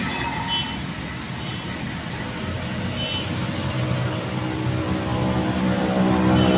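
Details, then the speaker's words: LG 15 kg washing machine after replacing drum bearing and spider bracket: low steady hum building gently, no rumble, knocking or grinding; drum rotation smooth. "halus karena pikir jalan ya enggak kedengaran suaranya halus."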